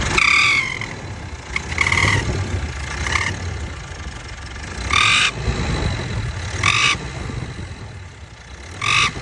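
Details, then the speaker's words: Mitsubishi L200 Triton 2.4 diesel revved in bursts: a sharp, raspy high whistle-chirp from the turbo, caused by a bent turbo shaft with carbonized geometry; the shaft must be replaced. "Esse eixinho aqui, meu filho, ele empenou essa batata atrás aqui, ó. A empenar a batata do eixo."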